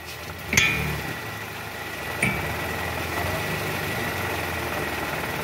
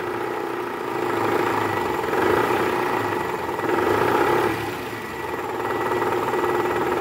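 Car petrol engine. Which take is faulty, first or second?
second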